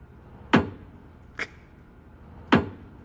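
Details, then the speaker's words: Tesla (Model S/3/X/Y) high-voltage battery making three sharp, hollow metallic bangs at irregular spacing. Metal parts expand and contract with temperature changes. This is normal during charging or a software update. "아까 얘기했던 그 고전압 배터리에서 금속 구성품이 주변 온도 변화에 맞추기 위해 자연적으로 확장 또는 수축할 때, 자연적으로 확장 또는 수축할 때입니다."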